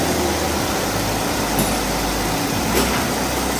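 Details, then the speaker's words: 2008 Chevy HHR, 2.4 Ecotec block with 2.2 head, after reassembly, no codes shown: steady even hum, no misses, ticks or stumbles over faint airy hiss, briefly revved; idling smoothly, normal. "got another one coming like it's running pretty smooth rev it a little bit without okay sound good"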